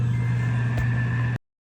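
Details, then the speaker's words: Household HVAC blower after blower motor replacement, rewired and plugged in: strong, steady low hum with a faint even whine, no rattle or wobble, sucking strongly; healthy running. Owner suspects restrictive K&N filters strained and killed the previous motor. "Do you hear how strong that sucks?"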